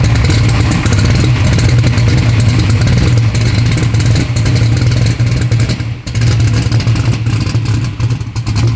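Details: Race car first running under its own power, being warmed to racing temperature. Loud, deep V8 idle with a fast, light ticking on top: valve train noise because the valves need adjusting, so it is only run briefly.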